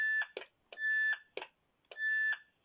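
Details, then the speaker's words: 1980 Uniden 2030 2m FM mobile radio, keyed by bridging the push-to-talk pins on the mic connector; sharp click then steady high beep about half a second each time, automatic tone burst working normally. "that one there is the push push to talk pair and you can hear the automatic tone burst"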